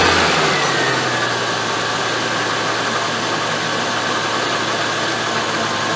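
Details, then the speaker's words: Range Rover EFI engine after fuel pump replacement fixing fuel pressure problem (about 40 psi pump): turns over a few times, catches and settles to steady even idle with smooth hiss, no misfire, slight pressure drop as regulator opens; runs fine. "there you saw a bit of pressure drop there engine sounds good no problems at all"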